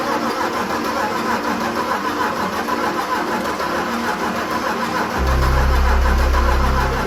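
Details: Land Rover Defender 90 swapped from 2.4 TDCI to BMW X5 engine: steady cranking about three turns a second, never catches; cranks but won't start, main relay checked, owners suspect no fuel reaching it.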